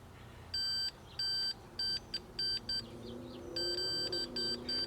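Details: 1976 Sony Trinitron KV-1711D TV, meter in continuity mode across a suspect trace: the beep cuts in and out in uneven bursts as the board flexes. A cracked circuit board near the earlier-reflowed vertical hold control, to be fixed with solder bridges.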